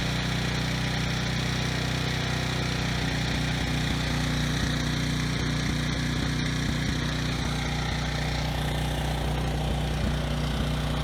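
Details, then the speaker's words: Briggs and Stratton generator, no load, outdoors in wind: slow drone with intermittent stutters and uneven firing; rough idle with low engine speed. Owner plans a carb cleaning and bending the throttle-spring tab to raise speed. "okay so it does run pretty well it does stutter a bit the RPMs are also a little bit low"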